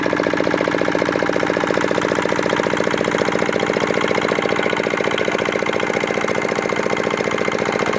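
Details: Old, modified Chinese R180 single-cylinder diesel used for wood splitting, after repair of a bearing knock/seizing problem (crankshaft already replaced elsewhere): steady, even thumping at about 110 beats a minute, no knocks or misses; runs cleanly and healthy.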